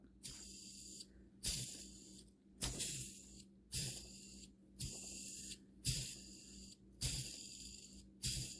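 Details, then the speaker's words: SH PT2009XB RC nitro engine modded by Extreme RC Mods, crankshaft bearing spun by hand eight times: hissy, gritty whir that blurs then smooths, a worn bearing before new ones are installed. "now a good bearing will spin it won't it'll just make one noise but a bad bearing uh it'll make two noises so listen it'll kind of like blur and then it'll smooth out"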